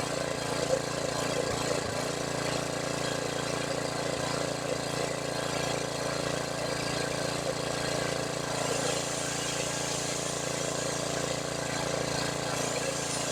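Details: Small single-cylinder engine on a $100 generator that had sat unused, after carb rebuild, running at a steady governed speed with an even, unbroken note and no surging; runs normally despite a bad leak.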